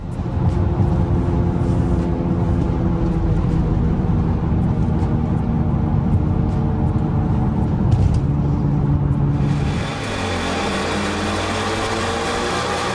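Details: BMW E90 328xi recorded driving on the highway before repair. A deep, steady rumbling drone from the left rear holds and settles lower as the car slows. Bad rear wheel bearing; the axle nut is rusted from water trapped behind the center cap.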